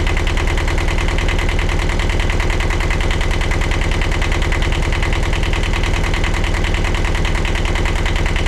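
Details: 1982 Catalina 30 sailboat diesel idling right after exhaust manifold replacement (blocked manifold had restricted cooling water flow; water pump rebuilt): steady, even idle with firm low thump about three times a second, no misses or knocks; healthy.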